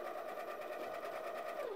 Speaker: when the grinder is clogged the motor will run and the beans will hop around a little bit in the hopper but it's not going to do any grinding